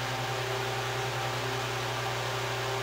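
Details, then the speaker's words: Restored Westinghouse fan, oscillation mechanism seized so no longer oscillating: smooth constant low hum with even airy rush, no clicks or rubbing; motor running cleanly at full speed as a standalone fan. "as a standalone fan it's fine because if you hear it it's nice and quiet and as it gets up to speed I'll show you power"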